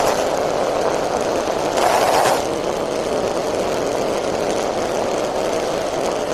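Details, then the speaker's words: Homelite chainsaw two-stroke at idle during carburetor tuning: buzzy idle with a dry rattling chatter underneath; owner says the centrifugal clutch and its shaft need lubrication because it's chattering, and the starter clutch needs lubricating too; clutch chatter suspected. "Not the starter clutch, that needs to be lubricated too, but the centrifugal clutch also needs to be lubricated. Like the shaft that the engine spins in, that needs to be lubricated because it's chattering."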